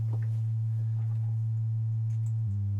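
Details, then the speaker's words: Modular synth with distortion issues: with the filter and triple delay modules unplugged, a steady pure low sine tone steps slightly as the oscillator is retuned. No hiss or buzz; the output is clean. "filter yeah seems to be clean again and then the triple delay and again clean again"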